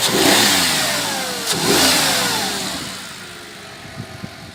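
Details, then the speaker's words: Audi A6 C6 after the intake manifold knock was fixed with a piece of plastic bag. A clean rev rises and settles smoothly with no tapping from the manifold. Normal running. "двигатель работает чист смотрим сюда"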